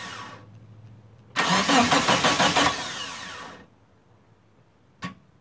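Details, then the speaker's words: Mitsubishi Eclipse GST turbo, down almost 9 years, first start attempt after timing work: starter cranks about two seconds with even churn but never catches; no fuel pump priming heard, scan pointed to fuel pump or faulty wiring. "so right off the bat uh i don't hear the fuel pump priming um i'm gonna have to check the wiring on that"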